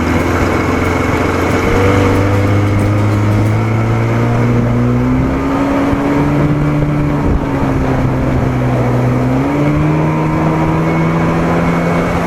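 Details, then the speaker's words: 1987 Johnson 40hp outboard under way on water after WOT timing change: strong, even drone rising and settling smoothly with throttle, no stumbling or knocking; runs well, idle still slightly rough. "it doesn't feel quite as fast as it was but it still feels good man still feels good sounds good runs good"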